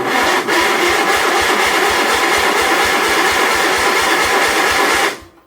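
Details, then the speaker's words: 1976 Sears SS18 garden tractor, first start attempt: steady, even starter cranking at about three compression beats a second with no firing; cranks but does not start, no fuel added to carburetor yet. "Actually sounds like it might start. I don't have anything here to dump down the carburetor."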